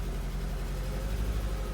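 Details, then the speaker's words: Engine idling after coil pack swap, still shaking and chugging: low uneven lumpy idle with heavier thumps; misfire persists with no fault code, coil pack apparently not the cause, source still a mystery. "No, we are still shaking. Yeah, that's still chugging."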